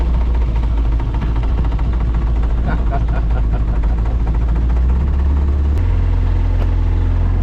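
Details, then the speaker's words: Outboard on a $700 auction boat under way on the lake: loud, uneven, stumbling beat with no steady note, running rough but still running; the owner suspects it needs adjustments. "So far it runs and floats though. Doesn't run real good, but I mean it is running."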